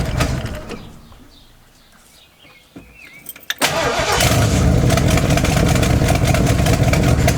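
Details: Old camper engine: cranks, catches after a few seconds, then runs loud and uneven with rough chuffing pulse, worse on throttle; running poorly, owner suspects exhaust leak.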